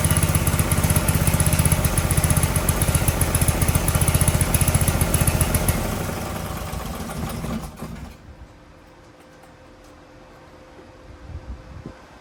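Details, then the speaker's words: Briggs & Stratton 18 HP Vanguard, second start attempt after replacing the fuel pump: low, steady thumping that never picks up speed, then fades and stops, because the governor arm was pushed instead of the throttle. "I'm wondering if this thing is governed, because it's just kind of not revving up anymore."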